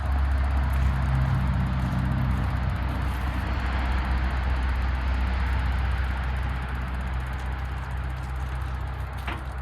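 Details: Caterpillar 922B loader diesel, block heater unplugged so engine cold, fresh cold water in block, glow plugs not working, electric fuel pump fed from overhead tank after bleeding air: slow even cranking about 3.5 turns a second, not firing yet.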